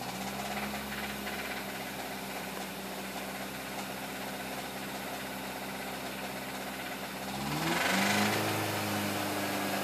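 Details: 2005 MINI Cooper S engine idling with a steady, fairly even clacking/clicking about three per second, then a brief rev; ticking from the top end, cause not yet identified.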